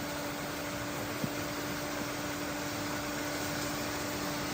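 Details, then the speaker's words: Off-grid river hydro water turbine running again after the failed dam was repaired: a steady whirring hum with a fixed high squeaky tone, held evenly throughout. Normal running. "Can you hear that sound? That whirring, irritating, squeaking sound? It's the sound of success. We have power, baby."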